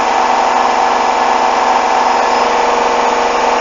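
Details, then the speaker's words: Hoover washing machine, coloureds 40°C bedding load, final spin ramping toward 1400 rpm: loud steady roar with faint uneven thumping, machine shaking dangerously; very unbalanced, water-locked load. "Whoa! That is dangerous! Look at that! Listen to that! It's shaking! Eesh! What was that from?"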